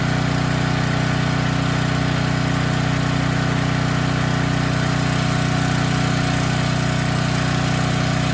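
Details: Storm generator that would not start after running out of gas and refueling; fired up after carburetor work (float needle had stuck open and spilled fuel): steady even low drone, smooth firing beat, no surging or hunting; running normally.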